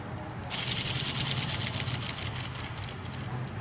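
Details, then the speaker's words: Hyundai Verna electric power steering motor running after removal: a high-pitched, gritty whir with uneven pulsing, caused by a burnt armature and carbon brush plate, so the motor is being replaced. "यह आवाज आ रहा था करके इसके लिए हम लोग motor change कर रहे हैं इसका आर्मचर कार्बन प्लेट दोनों जल ग"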